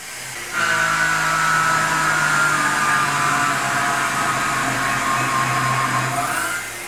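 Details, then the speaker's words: Tormach PCNC 1100 cutting aluminum with a 1/2" 3-flute carbide roughing end mill at half-inch depth, 27 in/min, about 1.13 hp: steady high cutting whine sags in pitch as the spindle strains; spindle bogging under heavy cut. "you can clearly hear the spindle's under strain however what's interesting is that even though the spindle sort of g"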